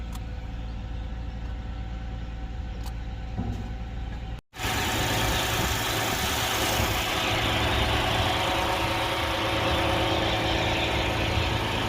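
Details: 2011 Lexus IS 300 that came in with a crank-no-start complaint, now running with no engine light. Steady, even idle with no misses or knocks and a constant low hum: normal idle.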